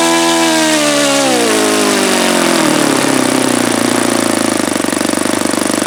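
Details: Saito FA-72 four-stroke glow engine, first run, plastic-throttle-arm carb: high buzz sags and winds down over six seconds with no pickup after fuel line pinch; raw fuel coming out, owner suspects carb or own setting.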